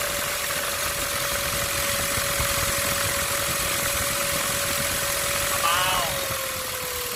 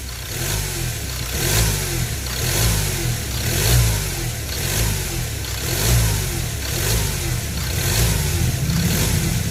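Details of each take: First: Ford Ranger T6 2.2 diesel, engine just started and idling: turbo whines immediately with a steady high whistle; variable-geometry actuator motor also not working; turbo later replaced with rebuilt modified unit (new center housing, shaft, billet compressor wheel, turbine wheel, high-speed balanced). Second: Ford Ranger T6 diesel after replacing the modified turbo and the failed variable-geometry actuator motor (which had set a sensor code): repeated quick throttle blips, about one per second, rising and falling cleanly without whistle or rattle. The actuator linkage now moves.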